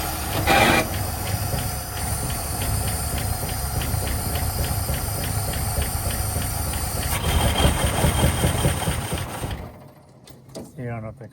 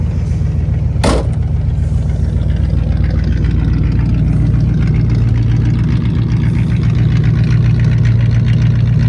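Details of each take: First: 1959 Cadillac flattop sat for years, first start attempt, fluids good, battery charged, tank full: fires and runs roughly a few seconds with loose uneven beat, then dies; unsure carburetor bowl is full, fuel supply suspected. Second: 1959 Cadillac V8 that sat for years, fluids checked, restarted once more: it fires right up and, down off the fast idle, settles into a smooth, even low rumble with no misses or tapping. Normal idle.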